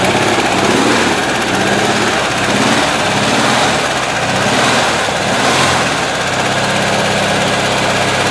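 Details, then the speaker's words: 1970 Volkswagen single-cab air-cooled engine, rebuilt elsewhere and claimed 80-90 hp, sounds like a typical 1600, run by working the carburettor: uneven rough running with mechanical clatter, noise from one bank and heavy vibration from the doghouse side; possibly a bearing, cause unknown; oil level fine. "there's some noise going on on on this side of the engine and there's quite a bit of vibration from this side"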